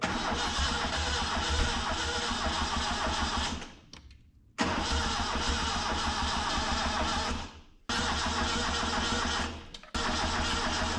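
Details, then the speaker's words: 1974 Datsun 620 pickup abandoned 45 years, fuel squirted into the carburetor: starter churns several seconds at a time, three attempts with a few catches but never runs; owner suspects ignition timing is off. "I thought for me there it's gonna go. I think our timing's off."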